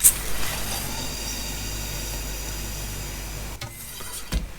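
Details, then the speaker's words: DS bait pump rebuild with the new yellow main washer, seal nut deliberately loosened: steady airy hiss for about three seconds as the pump is lifted, indicating a leak; fix by tightening the top 13mm nut a fraction at a time. "you can hear that, it's like a hiss. Well, hopefully you heard that hissing sound. That means it's leaking."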